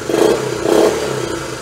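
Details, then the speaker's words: Honda Trail 90 (CT), after idle and carb tuning, 72°F: two quick throttle blips from idle rise cleanly and settle back with no stumble or hesitation; clean off-idle pickup. "no that's how it's supposed to run from Idle No stuttering no hesitation no stalling if you set the idle right"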